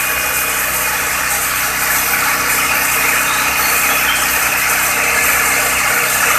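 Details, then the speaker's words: Accord Maestro carbureted engine warming after cold start, automatic choke bimetal adjusted (choke opener dead), fast idle about 1500 rpm with choke gradually opening itself: even, steady hum with no misses or knocks, settling as it warms; normal idle. "Ini berangsur-angsur akan membuka sendiri cuknya teman-teman. Kita amati."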